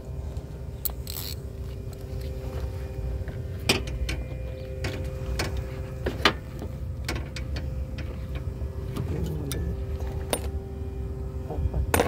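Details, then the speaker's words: 2009 Toyota RAV4 2.4L after alternator replacement: even, quiet idle with a faint hum and no whine or squeal; the previous noise is gone and the battery is charging. "Alternator. Ayos na. Tina-charge muna natin. Yan. Hindi na hindi na, wala nang ingay."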